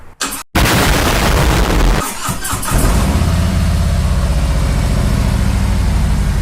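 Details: 2018 Harley-Davidson Road King Special V-twin, first start after installing and programming a Vance & Hines FP3 fuel management tuner: brief crank, then it catches and settles into a steady, even lumpy idle with no misses or knocks; running normally.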